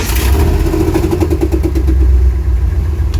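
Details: 1954 International pickup on first start after rewiring; it had kept dying until the instrument cluster (passive anti-theft suspected) was plugged back in. The engine catches and settles into a steady, even low idle with no stumbling; sounds healthy.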